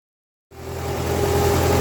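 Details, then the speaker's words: MTZ-5LS tractor diesel after valvetrain repair (broken 3rd and 4th cylinder decompression arms found), first test run with valve cover off to check pushrod oiling; catches and settles into steady, even idle with smooth rumble, no knocks or ticks, healthy. "So I'm gonna do all assemble it together, and I'm gonna do a first test run without the valve cover on, so I can see that all the push rods are getting oil and the oil's getting distributed."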